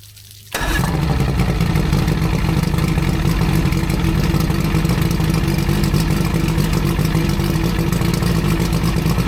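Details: Older outboard boat engine after new head gaskets, previously overheating and leaking water from the heads: starts first try, steady even low throb, no misfire or knocking; one head and hoses still slightly leak.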